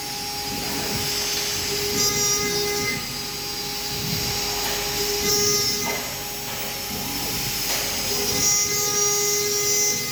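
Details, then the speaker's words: Arwing v4.5 CNC router at maximum spindle speed cutting 3 mm ACP panel: steady high-pitched spindle whine at constant pitch, rasping cut noise swelling and fading as the tool moves; normal cutting. "Tinggal kita tekan cycle start untuk memulai pengerjaan."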